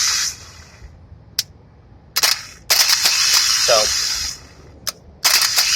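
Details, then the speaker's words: Starter from 2002 GMC Envoy bench-tested off the car by jumping the solenoid; repeated short high whirring bursts as the Bendix throws out, clean and even, starter good. "so right now I know the start is good but just so you can get the idea how it works how it pops out and it hits the flywheel spins it starts the car"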